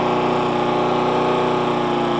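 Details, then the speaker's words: Hayter 41 mower that hit something hard and wouldn't start, after spark plug tightening, carb clean, tank flush and carb o-ring and clip refit: steady, even single-cylinder drone, no longer laboring; running normally. "if you go back to the original part of the video you hear it laboring a little bit that's now running much better yeah sounds better"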